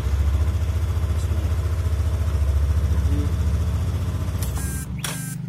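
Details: Yamaha NMAX after battery dropped and was replaced with same-type factory battery: small single settles into an even, steady idle with regular low pulse, brief clatter near end, otherwise runs clean.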